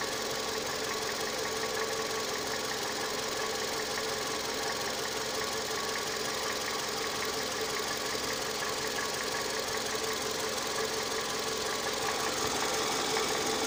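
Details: Toyota 2AZ-FE engine at idle: light metallic ticking knock repeating quickly and evenly from inside the engine; engine knock at idle.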